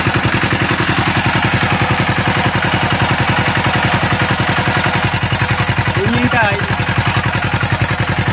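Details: Diesel CD engine (power tiller) revving with a hard regular beat near 160 a minute and an extra rough clatter on top; engine not pulling, cause not yet known.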